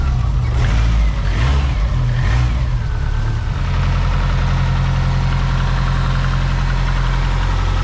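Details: Freshly built RalliSpec short block and heads, primed and just started for the first time, with Grimmspeed top-mount intercooler and dual fuel pump setup: settles straight into a steady, even idle with a smooth low rumble and no knocks or ticks. Normal idle.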